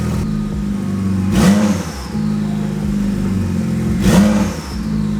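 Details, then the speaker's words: BMW 135i with 11k miles, rebuilt after sitting flooded 8+ years: two flat revs climbing and falling with no turbo whistle or rush, engine choked and held down in limp mode, making no boost; boost sensor circuit range/performance code, sensors already replaced, wiring suspected. "oh I went into limb mode again I mean it's not making any boost right"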